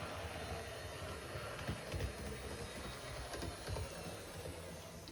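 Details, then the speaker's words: HO scale GP60M locomotive (one of three bought as a cheap used lot) on test track: even, steady motor whir with light track rattle, no catches or surging; runs great, though motor may be replaced in future upgrade. Normal running. "And this one seems to run great."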